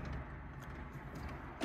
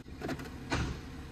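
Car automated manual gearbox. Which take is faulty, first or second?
second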